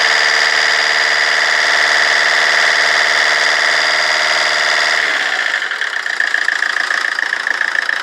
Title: rover 25 diesel rough idle